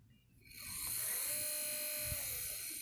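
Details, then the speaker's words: Xbox disc drive after new laser installed: thin, high buzzing whir with steady mid-pitched tone as disc spins up, sounds like a weed wacker, sometimes gets disc stuck; abnormal noise, cause unknown. "for some other reason it makes this noise oh or sometimes gets the disc stuck yeah I don't think it's supposed to sound like that folks"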